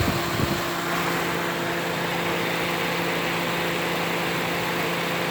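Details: Toyota Matrix at idle with AC on, after topping up the low PAG 46 oil in the noisy AC compressor; even idle, steady fan hum and low tone with no grinding or rattle; compressor now quiet.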